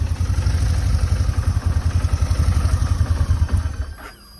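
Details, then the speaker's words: Motorcycle idling with steady thump, then switched off; a short thin squeak rises and fades as the engine spins down, a new shutdown noise not present before, source unknown, bike going to mechanic. "off yeah you see that squeaking sound that it just made uh it does that [ __ ] when I turn it off and it didn't use to do that [ __ ] before"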